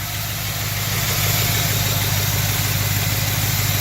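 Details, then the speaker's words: 1970 Chevelle V8 at idle: light fast tick about three per second over the exhaust pulses; sounds like a small exhaust leak somewhere. "it does sound like it has a small exhaust leak somewhere."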